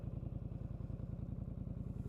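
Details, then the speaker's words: 2019 Polaris Sportsman XP 1000 with overheating complaint, possibly aftermarket exhaust tip, fan circuit working after relay issue found: steady even idle thump about seventeen beats a second, no misses or knocks, cooling fan back on; normal idle. "Fan just kicked back on. He's all set."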